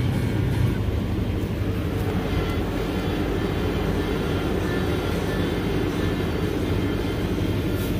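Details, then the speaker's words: 2007 Subaru Impreza at idle after fitting a new serpentine belt and tightening the tensioner, AC belt off, reservoir found nearly empty at purchase: steady idle roar with a constant whine on top and a burning-belt smell; power steering pump failing, to be replaced. "definitely sounds like the pump's making a lot of noise still. I almost can smell the belt."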